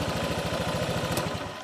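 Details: Honda Vario fuel-injected scooter that was stalling while riding, now with no shock when touched: regular, steady firing pulses at a brisk idle with no misses or stumbles; engine runs cleanly.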